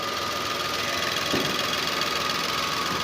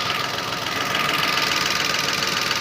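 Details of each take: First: Datsun Go petrol engine after replacing the faulty number 3 ignition coil: steady, even note with no misfire or jerking, picking up cleanly when throttle is blipped with the AC on; normal running with AC on. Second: Datsun Go engine at idle, connectors unplugged one cylinder at a time: lumpy, stumbling idle with a steady hiss, and unplugging one cylinder shows that cylinder has the fault; misfire at idle.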